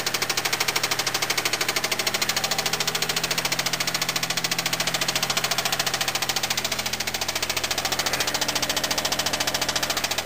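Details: Mitsubishi VR4 petrol engine idling with a steady, hard metallic rod knock on every turn, after a JDM Planet replacement engine covered under 5000 miles in 11 months with 3–4 oil changes; worn rod bearing.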